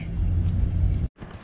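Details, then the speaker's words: Full-time camper van, about four years in service, started and put in gear: steady low engine rumble with no squeal or chirp as it engages, then goes quiet; normal running, no squeak. "so let's put it in gear and listen to this no squeak no [Applause] squeak no"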